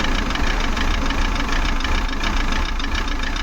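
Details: Maruti Suzuki Eeco petrol with company-fitted CNG, check engine light on, code P0108: uneven lumpy idle with stumbling beat and shaky rumble, whole car vibrating, poor pickup; misfire from faulty MAP sensor, later replaced.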